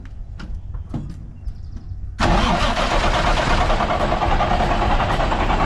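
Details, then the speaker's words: 1965 Kenworth W900 six-cylinder diesel, first start after years, new starter, started at half throttle: cranking clicks then a rough, uneven run about three beats a second on only two cylinders; suspected mis-set rack. "it's only running on two solders that R right nope"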